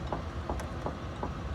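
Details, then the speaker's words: Steering moved back and forth by hand: sharp, light knocks about every third of a second, felt at the rack, an internal knock in the rack-and-pinion steering, not a leak; the lower control arm bushings are also damaged. "Yo tengo mi mano acá, cabal, se siente el golpe aquí, mira. Es interno en el rack en piña."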